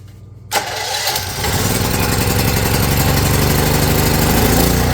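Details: Champion 4000 W (3500 continuous) electric-start generator that wouldn't start, after carburetor cleaning, with a leaky fuel line and electric choke unhooked: catches within half a second of cranking, then steady even drone, running normally.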